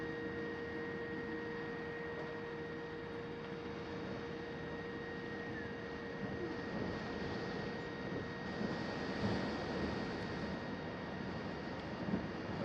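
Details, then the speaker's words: Astro-Physics Mach2 equatorial mount, right ascension axis, final test after belt adjustment: slewing at 1800 speed from park 1 with a quiet, steady faint whine and soft hiss, no grinding or clicking; the earlier vibration is gone. "there it is guys no noise whatever that was i have no idea it didn't do it"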